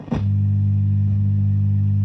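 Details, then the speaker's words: Vox AC30 TB Reverb valve guitar amp, Birch Stolec era (1971–73), about 50 years old, in for a restoration quote: loud steady low drone as the amp oscillates with the volume turned up. Reverb not working. Tired, underrated 16 µF filter caps hum. "get some oscillation going on there so that's oscillating rev doesn't work work I don't know where the"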